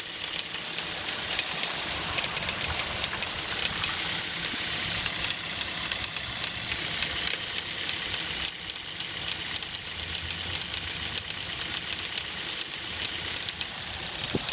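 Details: Hyundai Solaris: sharp light taps about once a second over a thin, hissy engine note; engine knock, cause unclear.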